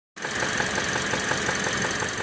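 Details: 2016 Kia Optima GDI, 78,000 miles, check engine light with code P1326, steady idle with a sharp regular knock, deeper than a tick, from the lower left of the engine near pulleys and belts; cause unconfirmed.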